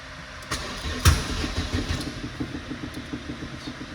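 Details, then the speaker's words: Opel Tigra with a broken ignition switch, powered up by bypassing it: fuel pump runs, one sharp pop as it fires once, then steady cranking with no start; immobilizer error, the box isn't reading the key's chip. "Evet, şu anda immobilizer hatası veriyor. Anahtarı şöyle yapmama rağmen şu anahtarın içindeki çipi okuyan kutu."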